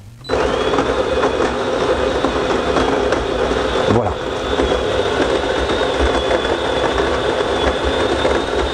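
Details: Steady whirring grind with an even high whine, no catching or labouring; DeLonghi FEB 3515.B coffee machine grinder running smoothly before brewing.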